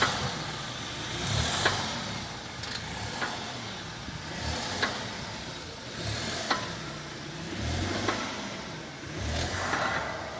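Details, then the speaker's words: Skoda Kodiaq front-suspension knock when the body is rocked: dull clunks about every 1.5 seconds with each push, heard equally on both sides, maybe slightly more on the left; cause not confirmed. "С обоих сторон одинаково слышно. Может быть, с левой чуть побольше."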